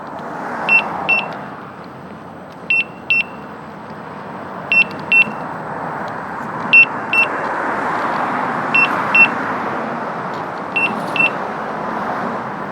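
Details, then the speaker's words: Gotway/Begode EX-N 78 V electric unicycle near the end of a full range test, about 75 miles at 20–22 mph, last four to five miles ridden very slowly: high double beeps about every two seconds over road hiss, empty-battery warning. "the last four to five miles of that is embarrassingly slow i hate the beeper when you run pedestrians right"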